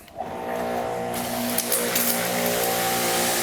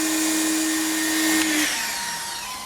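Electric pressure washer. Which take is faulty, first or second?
first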